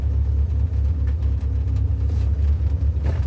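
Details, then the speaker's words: Toyota Corolla KE35 cruising at a few miles an hour: deep steady droning rumble with nothing sharp on top; owner ruled out the bearing and suspects the exhaust, not confirmed. "So that thing that noise it isn't it isn't the bearing. That isn't the bearing. That's something else. I think I think it actually just might be the exhaust."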